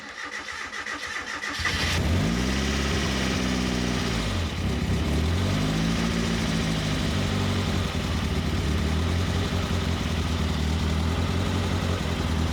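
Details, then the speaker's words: Turbo Miata, first start after the ignition timing was set, with the wideband sensor not working: brief crank, catches with a rev flare, then settles into a steady idle that sits a little high; the idle is otherwise okay. "It starts. Idle is okay. It's idling a little bit high."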